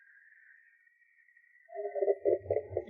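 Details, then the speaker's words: 2015 Audi A4, 83,000 km, road test at about 50 km/h over a large gentle dip: thin high whistle then irregular squeaky creaks with low thumps; worn, loose front control-arm bushings squeaking, fixed by replacing them. "叽叽哇哇的，这还不够快呢。这刚才是50迈，这要是70迈的速度过那个缓坡的话，跟屎一样。"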